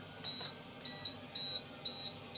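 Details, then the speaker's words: Electrolux (Simpson/Westinghouse type) tumble dryer during testing after inner shroud replacement: short high electronic beeps in repeating pairs signalling door open although the door is shut; owner suspects a removed plate, and refitting it stopped the beeping. "that's saying the door's open that's saying the door's open why is that saying the door's open it's shut or maybe it's not ah because maybe i've taken this plate off"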